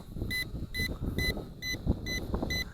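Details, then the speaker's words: ATTOP W8 GPS camera drone in flight, about 39% battery: high steady beeps about two a second over faint motor buzz; warning beep of unknown cause. "okay I am not sure why that's beeping"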